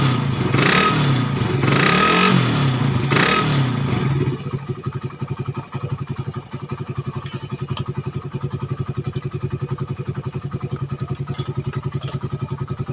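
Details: Suzuki Satria FU 150 cc after cam-chain timing (top) was corrected from a previous workshop's wrong fitting, which had caused rough idle, harsh sound and power loss. A few strong revs settle into an even idle thump of about 4 beats/s with no misfire or rattle. Healthy.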